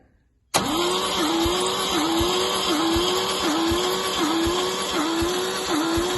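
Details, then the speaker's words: MGC 3.0 straight six garaged about 33 years, compression test cranking: starter spins fast and steady with a slight load dip about every three quarters of a second; zero compression, owner suspects patina or sticky valves. "Yeah, 0 compression. I think the valves have got a patina on them, or sticky valves or something."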